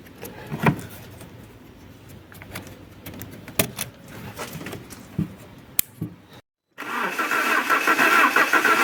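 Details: Alfa Romeo 147 Twin Spark, towed in for misfires, rough idle and hard starting, after new valve seals and timing belt work: a few clicks and a short pause, then the engine catches and runs steadily; normal start.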